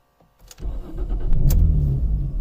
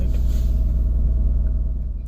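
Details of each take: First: Jaguar X-Type no-start: about three seconds of steady cranking at roughly three turns a second, then it stops without firing. Owner could not feel the fuel pump kick in and suspects a fuel pump fault. Cranks but won't start. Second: Jaguar X-Type that wouldn't start, running after the unconnected air flow meter was reconnected (no fault code set; fuel pump first suspected); deep, steady low thrum with even pulses, nothing rattling or missing; normal running.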